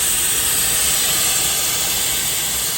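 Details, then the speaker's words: Refrigerant leak on an R-134a AC system just repaired at a body shop, under dry nitrogen pressure: a steady, even high hiss with no pulsing from somewhere low down; the system held about 70 psi but leaked down slowly and stalled at 29.9 under vacuum. "so somewhere somewhere down here there's a leak and this was just repaired"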